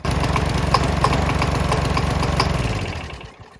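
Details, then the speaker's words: Gasoline Briggs and Stratton flathead mower engine running on diesel with four spark plug non-foulers: rough single-cylinder chug with sharp metallic raps on each beat before dying away; knocking hard on diesel. "This engine was knocking like crazy with four of these things on there."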